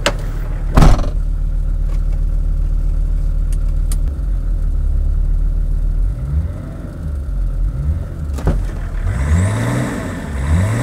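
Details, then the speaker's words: Land Rover P38 with BMW six-cylinder diesel, engine still cool, after new radiator and viscous fan: steady idle then clean revs with no rushing whoosh that the old fan made; fan no longer dragging. "So hopefully you guys are able to hear the difference here, but that rush, that whooshing noise that the viscous fan was making before whenever I revved it has gone now. So that new viscous fan is loose as it should be because the engine's still cool."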